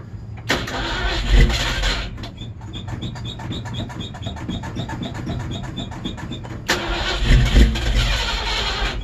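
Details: Cold-blooded old Ford Bronco: a brief stumble, then about four seconds of even starter cranking at roughly four beats a second before it catches and revs up; a hard cold start with long cranking.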